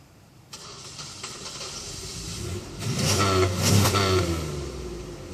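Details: Buick: long steady crank at about three beats a second before the engine catches and revs up; hard starting, cause unknown.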